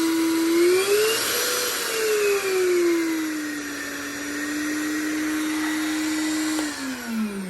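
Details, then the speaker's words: Shop vacuum for DIY soda blaster cabinet, voltage dialed down on VEVOR 2000VA variable transformer: motor whine wavers, settles lower and drops further near the end; vacuum running slower. "So what I could do, I can dial that down, and you can hear the"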